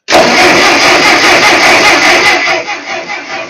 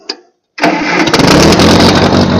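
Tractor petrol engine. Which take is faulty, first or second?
first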